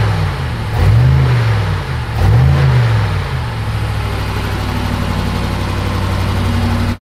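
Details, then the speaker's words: 2019 BMW M5 Competition, accident-damaged rebuild, running on jump cables to a new battery: two quick rev blips rise and fall smoothly, then an even idle, no ticking; engine warm, sounds healthy, normal revving. "pense que ça sonne bien pas de clicti pas de clicti il fait chaud tout va bien"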